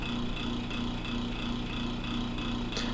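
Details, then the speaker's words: Small motor-driven test rotor starts, runs a few seconds and stops with a steady, even hum and gentle regular pulsing; acceptable balance, vibration severity 1.87 mm/s RMS. "La máquina arranca, opera durante unos segundos y se detiene, y los valores de vibración son recogidos por el sensor."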